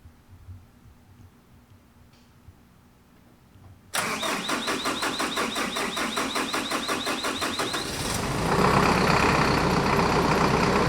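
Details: 2015 Hino 195 COE diesel started after service, fuel system bled of air with the hand pump: quiet, then starter cranking about four turns a second; after four seconds it catches cleanly and settles into an even run.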